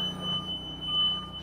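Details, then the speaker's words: Bobcat T76 R-Series with electrical problems: the backup alarm and front buzzers sound continuously over a low hum while the panel is off and won't turn on; electrical fault. "good old R series Here We Go Again look at this we've got can you hear it back up alarms going off if you can hear it and then around the front buzzers are just going off but the panel"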